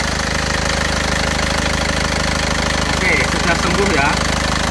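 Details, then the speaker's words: Isuzu Panther pickup diesel after engine repair for blow-by smoke, warm at about 82°C working temperature: steady, even diesel clatter, smooth and regular with no misses or knocks; thick smoke gone, running normally. "ini suaranya seperti ini. tetap halus rata."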